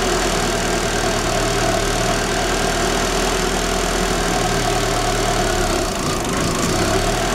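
Engine idles with a steady low drone and a faint uneven lope underneath; a rough cold idle, cause not yet pinned down. Cause suspected, not confirmed.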